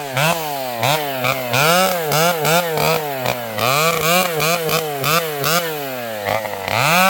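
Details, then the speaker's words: Vintage two-stroke chainsaw with governed carburetor during tree cutting; crisp howl dipping as the chain bites and climbing back clean on release; running strong and well under cutting load. "This old girl is running beautifully. You can hear this thing has a governed carb."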